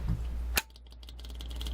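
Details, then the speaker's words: Generator restart after automatic shutdown, preheated: single sharp snap as the fuel valve solenoid energizes, then fast light ticking and low hum of the electric fuel pump, working normally; it later ran too slow, blamed on a dirty fuel filter. "you'll hear the electric fuel pump down here click and then we'll see if it'll start"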